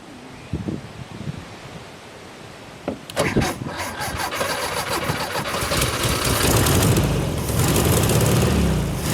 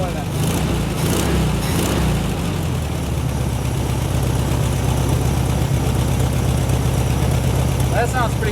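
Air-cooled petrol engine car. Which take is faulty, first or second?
first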